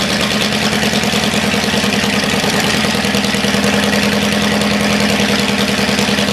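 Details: Cadillac 390 V8 after sitting 8 years, newly reassembled and run with coolant added: loud steady idle with even quick firing beat, no knocks or misses; runs well, only a dripping water pump noted.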